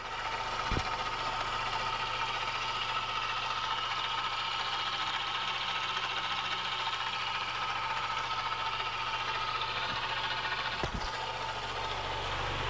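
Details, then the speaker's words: 2017 Honda Accord 2.4L at idle: faint steady whine over quiet idle from the serpentine belt tensioner pulley, identified as the culprit; to be replaced. Worn belt tensioner pulley. "there's the uh what's called the belt tensioner this pulley right here and uh that is the culprit"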